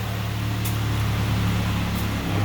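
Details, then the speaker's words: 2006 Ford Ranger XLT 2.3 L inline-four, five-speed automatic, two-wheel drive, just started: steady, even low hum with no misses, knocks or ticking, idling smoothly like a sewing machine. "but listen to a run runs like a sewing machine anyway folks"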